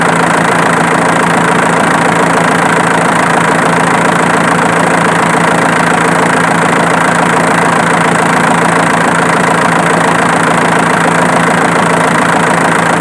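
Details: Idling diesel with a light, fairly regular snapping tick about twice a second over the clatter; camera inspection traced the click to the alternator, not the injection pump.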